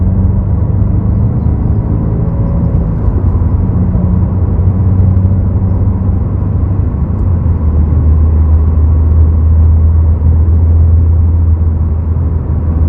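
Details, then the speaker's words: 2022 Subaru WRX with STI-style wing after installing a Noble Whistle B-Gone kit, driving: only low road and tyre rumble, no whistling, at most a tiny residual noise; no wind whistle. "all right you guys so I don't hear the whistling sound anymore which is kind of weird and I'm so used to it"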